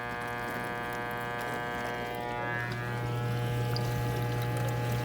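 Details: Buzzing from a KitchenAid KDTE104ESS1 dishwasher during wash: steady low buzz holding one pitch under water swishing, constant throughout the cycle; abnormal buzzing, source not identified.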